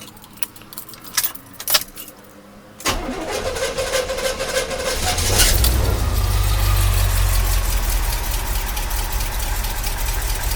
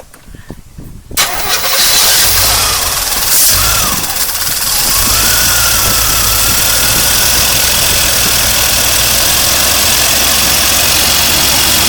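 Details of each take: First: 1982 Corvette C3 with fuel injection, revived after a decade outside and a fuel system overhaul, started completely cold. Brief crank, instant catch, then a steady, slightly fast cold idle with no misses or knocks; normal cold start. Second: 1982 Corvette C3 with throttle-body fuel injection, left outside a decade, on first start after a fuel system overhaul. It cranks and catches, then a thin whistle holds over a rough idle; a vacuum leak, thought to be the small line to the air cleaner.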